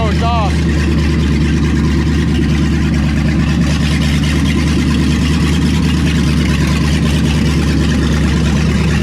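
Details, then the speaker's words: Engine warm at 190 with oil pressure settling, idling with a low loping rumble and slight rise and fall in speed; mild idle surge after long storage, cause unknown, tune-up planned. "got a little surch to it too got a little bit of a surge to it but did just get woken up from a very long nap"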